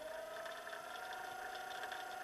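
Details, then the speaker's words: Small DC motor salvaged from old printer/copier, bench powered from a supply stepped up toward 24 V, around 15.6 to 17.6 V: clean thin whine climbing in pitch as speed rises, no grinding or rattle; healthy. "15.6 volt. Motorun devrinin arttığını sesimden anlayabiliyorsunuz galiba. 17.6 volt."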